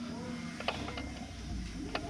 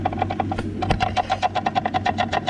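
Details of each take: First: Input shaft of a normal OEM R32 transmission, rocked by hand for comparison: only faint soft clicks, tight shaft, unlike the 34 GT-R gearbox whose suspected input shaft bearing makes loud tapping. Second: Nissan Skyline R34 GT-R with NISMO clutch, transmission removed: input shaft rocked by hand gives quick sharp metallic taps; shaft slightly loose, release bearing and fork fine; suspected worn input shaft bearing. Drivetrain noise appeared when warm, worse when driving.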